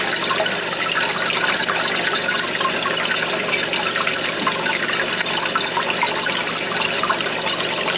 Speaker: Yeah, that's what's happening. It's sticking. And then you hear it, I get every night and I hear it, and I'm like, I moved it over a little bit.